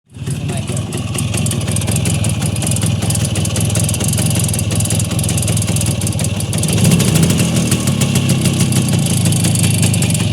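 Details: Voskhod two-stroke motorcycle engine at a steady idle with a fast, uneven tapping on top, an internal knock of unknown cause.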